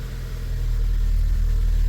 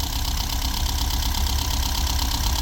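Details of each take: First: VW Golf V Plus 1.4 TSI turbo after engine repair from slipped timing chain, sitting two years: deep, steady note revving smoothly with no knock, rattle or chain slap, slight shake possibly a mount; normal revving. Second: VW Golf V Plus 1.4 TSI turbo, first start after 2–3 years sitting, engine repaired after slipped timing chain let valves hit pistons, booster on; uneven lumpy idle with loping thumps, as if a cylinder misfires; not running perfectly, cause unconfirmed.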